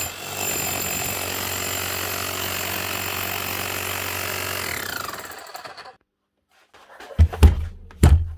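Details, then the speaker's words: Milwaukee 545S Kango hammer after new armature and brushes fitted for a burnt-out motor, gears somewhat worn: steady, strong rapid pounding for about five seconds then winding down; it lifts itself with no handle pressure, striker compression good; normal hammering. "not so bad let get away with that she's hammering fine she's able to lift herself off whenever there's no pressure been pushed down on the handle"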